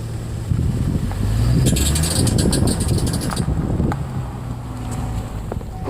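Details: Chevrolet Trailblazer petrol SUV pulling away, with stored codes P0302 (cylinder 2 misfire) and knock sensor circuit: low engine rumble with a quick run of intermittent light metallic tings on take-off.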